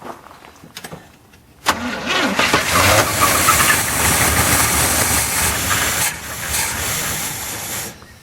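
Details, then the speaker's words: 1981 GM square body truck V8 after sitting 25 years in a field: catches after a few cranks with a rough, uneven roar, then sags and fades as the primed fuel runs out; weak battery, fuel delivery questionable. "Okay, we got spark. She likes her fuel. I think I'm losing the battery already."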